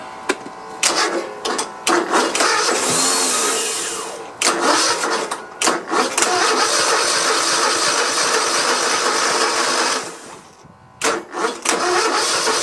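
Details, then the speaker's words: Cub Cadet i1050 zero-turn, Kohler Courage twin left outside for years, cranked with two-stroke fuel sprayed in: starter cranks in a steady beat of about four per second with a single weak catch and no run. "huh wow seems like it's it'll get one little bump you hear that but uh i can't remember if this courage series has hydraulic lifters on it"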